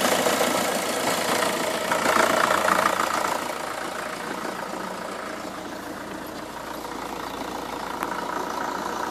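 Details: Opel Astra H Mk5 1.7 diesel at 98k; smooth, even idle that swells cleanly with a short rev and settles back without knocks or misses; engine healthy.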